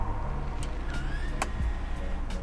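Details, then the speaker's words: Toyota Avanza/Veloz 2022 CVT electric parking brake: a brief thin hum rising slightly in pitch over a low rumble as the brake is released or engaged; this is the normal rear parking brake motor sound, not a fault. "terdengar suara dengung kemudian kalau kita pasang kita aktifkan tim parkirnya hai hai Hai akan terdengar lagi suara dengung yang berasal dari motor"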